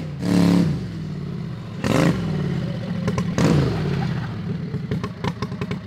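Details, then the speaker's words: Harbor Freight 670cc V-twin (~55 hp) on a mini drag rail, after coil replacement and earlier spark problems: three clean throttle blips, then a lumpy twin-cylinder idle with some popping; engine fired right up and runs healthy. "so we're going to do some pulls of the driveway while it's running this thing sounds good"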